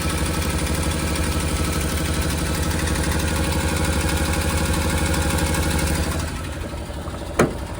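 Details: Suzuki Carry dump kei truck with diff lock and about 20,000 km: an uneven, lumpy idle at about three loose beats a second, sounding close to stalling. Rough idle; an exhaust leak or old gas is suspected, but the cause is unclear.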